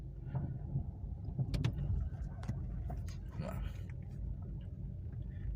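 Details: Nissan Versa on a test drive over a wavy slope after the whole suspension and bushings were replaced: only road rumble and the odd soft thump, no clunks or knocks from the front. The suspension sounds quiet.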